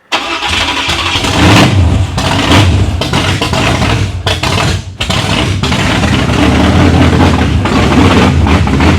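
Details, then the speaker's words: 1987 Chevrolet Monte Carlo SS 383 stroker on open headers, first start: it catches, then runs lumpy and misfiring. Suspected cause is the choke needing to open more; idle not yet set. "Yeah, I think she's misfiring. Hold on, guys."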